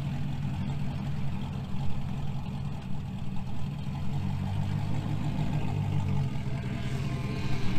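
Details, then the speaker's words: 2000 GMC Sierra 5.3 V8 with Texas Speed Stage 3 truck cam, running its own tune again after a stock-tune test; steady lopey idle, started perfectly, stays running in gear without stumbling; normal idle. "You could hear it started up perfectly, put it in gear, didn't die, didn't have to mash the gas to keep it running."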